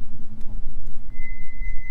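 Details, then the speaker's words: Pickup truck with brand-new brakes, recorded while driving: road rumble, then a steady high-pitched squeal that holds every time it slows to a stop. Cause unknown; owner plans to bleed the brakes. Brake squeal when stopping. "All right guys, yeah, so it's doing it pretty bad now. Every time I stop, watch, hopefully you guys can hear it"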